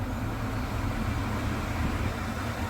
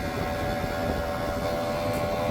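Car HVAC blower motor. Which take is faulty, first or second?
second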